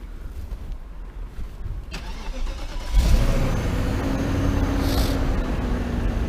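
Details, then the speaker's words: BMW X5 E53 with a history of long cranking before starting, after sitting about 2 hours: short crank, then it fires at once and settles into a steady, even idle; a healthy quick start, suspected fuel-filter related fix. "он сразу он сразу завелась сразу"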